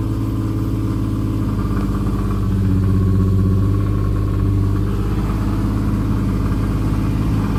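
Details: Nissan with aftermarket exhaust, P0300 random/multiple misfire code since new NGK plugs, ENA coil packs, valve covers, PCV hoses and battery were fitted, throttle body and MAF cleaned: rough uneven running, throttle blips at 1,000 rpm, then stumbles and stalls; cause unknown.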